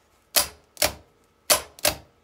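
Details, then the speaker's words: Fiat 126 BIS starter motor bench-tested with a battery: four sharp, even metallic clacks as the starter solenoid pulls in. The solenoid works normally. "Cuộn dây điện từ khởi động hoạt động."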